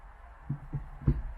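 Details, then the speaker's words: 2004 Infiniti G35 Coupe 6-speed manual with IRP short shifter installed: three soft dull clicks about a quarter second apart as lever snaps into each gear gate; normal notchy feel. "it's very very notchy so that's it very very notchy notchy meaning it's you could really uh hear the clicking between each and feel the the clicking in each um gear"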